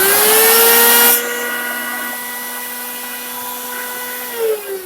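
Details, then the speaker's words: Farmer IZE-05 grain crusher assembled: loud steady motor whine at an even pitch after a brief rise, no knocking, only slight vibration, unit stable; normal running. "noise is large, but the vibration is not very large. The unit is stable,"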